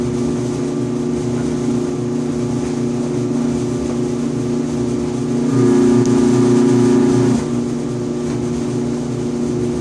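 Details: 5-year-old Electrolux EIED55H dryer makes a loud buzzing noise and vibration every 45 to 60 seconds: an even hum jumps to a louder, harsh buzz for about two seconds, then settles. Caused by the blower assembly (134690800); replacing it fixed it.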